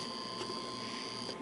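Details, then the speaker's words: Reassembled 1949 Lionel 2026 steam engine on 15 volts AC from the transformer: thin steady high-pitched buzz with a faint mechanical rattle; armature buzzes a little, cause unknown. "For some reason the armature does buzz a little bit."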